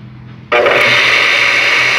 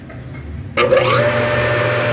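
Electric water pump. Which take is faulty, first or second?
first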